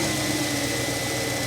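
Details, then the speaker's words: 1999 Mercedes S420 (W140) V8 idling just after a new throttle body install: thin, constant high whine over the idle from the power steering pump, which needs fluid; a power steering hose is also near failing. "power steering pump that needs it needs fluid yes"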